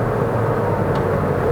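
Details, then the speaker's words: 2017 Toyota Vios CVT, 2NR-FE 1.5 L Dual VVT-i, cruising normally: steady road and engine hum with no CVT whine; whine only appears when hot near hilltops. "Otherwise, when you are driving normally like this, You can't hear it CVT whining sound"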